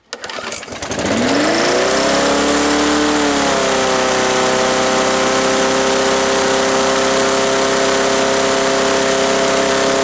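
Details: Yard Machines mower with 158cc Briggs & Stratton engine, first start after repair with fresh gas and oil checked; catches after a couple of pulls, pitch climbs and settles into a smooth, even run with no misses or knocks: healthy.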